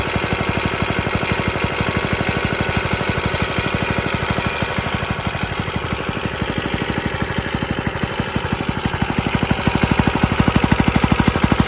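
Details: Rattly running from an extremely early 1954-55 Suffolk Iron Foundry Model 1A small engine, started still cold on a substitute carburettor: even firing beat about three per second with a loose rattle riding on it, cause not identified.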